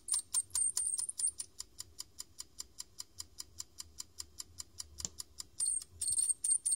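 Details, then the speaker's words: A defective 3.5" floppy drive that ruins disks, spinning a 1990s Floppiclene 350 cleaning disk wetted with head-clean spray: rapid steady ticking about four a second with bursts of high hiss. It sounds unhealthy. "that does not exactly sound healthy to the drive let's just say that's enough"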